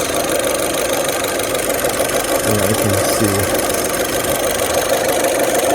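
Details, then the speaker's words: 2008 Saturn Astra, just over 114,000 miles, after running a while following throttle body replacement (it had lost power and fuel mileage and shifted oddly), no check engine light: even, steady idle, no misses or surging, faint music; running smooth. "running smooth though feels good we'll take it for a drive in a bit"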